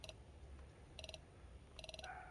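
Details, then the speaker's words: Ford Festiva AWD project, engine not running, ignition on with fuel pump disconnected: coils triggered from FuelTech ECU give crisp, evenly spaced electric ticks in short bursts, all firing correctly in 1-3-4-2 order after rewiring; normal coil firing. "So looks like they're all hitting right, and it should go 1, 3, 4, 2. That is the firing order."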